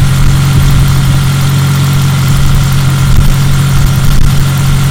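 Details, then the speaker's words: Petrol engine idling after cylinder 1 misfire investigation: steady low hum, hissing no longer heard; owner suspects the injector was leaking a tiny mist. "i don't know it's better to me i don't hear the hissing at all"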